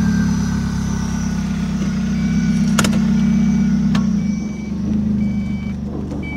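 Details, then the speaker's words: Ford Probe from Copart with transmission trouble on a road trip, after a roadside fix: engine pulls steadily under light load with no slipping flare or clunk, chime beeps over it; overdrive button works and the automatic drives normally. "She moves. And does the overdrive button work? Yes, it does. If you push it, it comes on."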